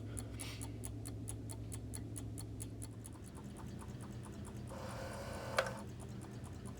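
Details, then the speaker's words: Vintage Coca-Cola clock, reassembled in its case with a replacement motor: soft, even ticking about twice a second over a faint low hum, no grinding or buzzing; quiet and healthy, the old motor was noisy. "nice and quiet on that one very good the old motor was quite noisy so that's interesting"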